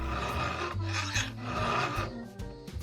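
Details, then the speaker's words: Hand-filing a chainsaw chain with firm two-handed pressure: gritty "gori-gori" rasping strokes about every half second, a solid bite rather than the light swishing of a one-handed unpressured stroke, shedding iron filings; proper chain filing. "しっかり研げているかどうかはこの音がね重要なんですね。ゴリゴリゴリというような音がします。"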